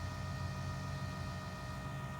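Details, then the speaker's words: 2016 Nissan Titan XD Cummins diesel after fuel filter change, priming by pressing start twice without brake: quiet steady electric hum and faint whine, no surging; normal priming pump operation, can last up to 90 seconds. "you can hear the prime pump kick on go down there and just listen to it here you can hear it do not attempt to start the vehicle while it's priming and so this can go on for as long as 90 seconds"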